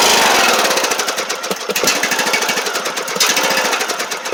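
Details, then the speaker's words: Riding lawn mower on a new SGFYO U1 12V 23Ah AGM battery (rated 280 CCA, tested 432 CCA): quick, strong cranking catches and settles into a rapid, choppy run; normal crank and start. "So as you can see, cranked it right up."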